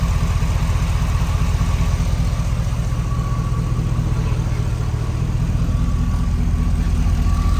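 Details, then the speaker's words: Warm petrol engine at operating temperature idling steadily after a gasket repair, oil pressure good, no leaks; faint light ticking over the low rumble is the lifters, due for replacement requiring head removal. "And obviously, I'm pretty sure you guys can hear that little ticking noise. Those are the lifters."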